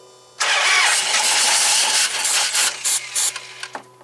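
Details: 2005 Dodge Magnum RT Hemi with two dead cylinders on the same bank, cranked with throttle; starter spins in bursts but it never fires; crank no start, no fuel pressure.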